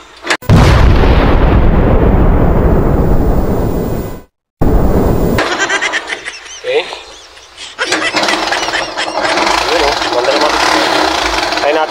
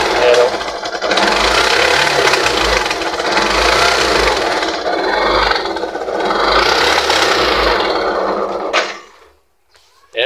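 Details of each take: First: Yamaha YTX 125 after carburetor cleaning, previously misfiring and sputtering: engine picks up cleanly on throttle and drops back to an even idle with no popping, stumbling or misfire; running healthy after repair. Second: Yamaha YTX 125 motorcycle in neutral, started after failing to kick start, idling roughly, sputtering and stumbling unevenly, then dying; carburetor to be removed and cleaned; misfiring, sputtering idle.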